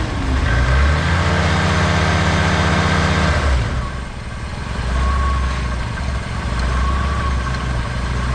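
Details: Old Ford F-150 that would not start though it had spark, after battery charge, checking fuel pressure and relay: engine catches and settles into steady even low-rumble idle; fuel pressure 45 within 40–50 spec; cause unknown, running normally.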